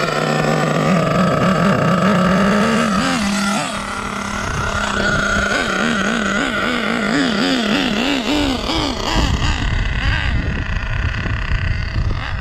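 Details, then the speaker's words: Savage X46 nitro truck, three-speed transmission rebuilt with all-metal gears, tuning the third-gear shift point: engine revs in wavering surges but never drops pitch into a higher gear; not shifting into third, possibly stuck in second. "so i'm not getting second first into second i'm not hearing it is it stuck in second gear i don't know i know it's not shifting into third"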